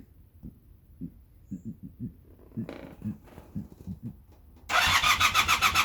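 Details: Honda Super Dream motorcycle: scattered soft taps, then a fast, even pulsing crank lasting over a second with no firing; the bike turns over but won't start.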